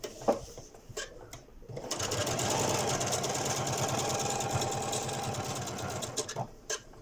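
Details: Janome Memory Craft 6700P sewing a straight stitch on a curtain at medium speed: fast, fairly even rattling knock about three per second, with a rough grinding edge from the hook (shuttle) area.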